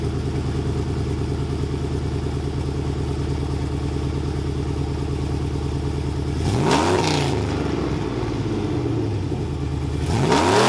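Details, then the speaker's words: GMT900 Chevy Silverado V8 with long-tube headers, Y-pipe, added resonator and rehung exhaust: deep, loud, lumpy idle with two clean revs, no rattles or leaks; still super loud but droning reduced; healthy loud modified exhaust. "so that's the truck sound now i think it sounds phenomenal uh definitely helped a little bit while towing not as bad as droning as before it's still super loud"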